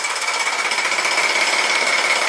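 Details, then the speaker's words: 2017 Jeep Rubicon with codes P0390 and P0394, bank 2: the solenoid is connected for a light rev to raise oil pressure, and a fast, dense metallic rattle holds steady. VVT cam phaser rattle from low oil pressure. "so I'll connect the solenoid and just rev it up a touch get a little more oil pressure in there"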